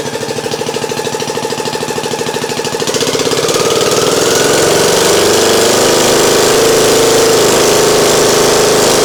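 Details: Craftsman YT 3000 lawn mower with a Nikki carburetor that was flooding, started with the fuel off and no choke. It cranks, catches and settles into a steady, even idle of about three beats per second.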